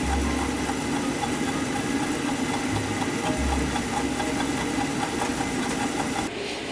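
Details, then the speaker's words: Oil-burner furnace that was not working: steady burner roar with a repeating light tick and faint squeak; the technician suspects the oil pump, and the pump was found failed and binding. "So I could hear an issue, we just gotta figure out what it is. Something here is making a little funny noise. Sounds like maybe the oil pump."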